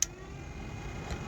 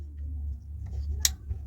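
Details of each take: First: Toyota car air-conditioning blower switched up to a higher speed setting: steady, even airy whir with faint hum, no ticking or scraping, more power but not extreme; running normally. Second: Toyota car air-conditioning blower wired back on its original connector and ground: switch click over a low hum, then no fan spin-up, nothing happens; blower not getting power, wiring fault.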